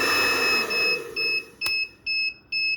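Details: Suoer 3000VA pure sine wave inverter under repair, high-wattage load switched on. Steady high-pitched beeps about twice a second; the inverter trips its overload alarm from the high current draw.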